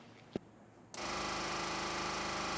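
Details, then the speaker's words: 1979 Jeep Cherokee parked 21 years, ignition switched on: single tick then a constant loud electric buzz from mid-vehicle, not under the hood; owner suspects the electric fuel pump. "That thing is making the noise, and I think it's the fuel pump."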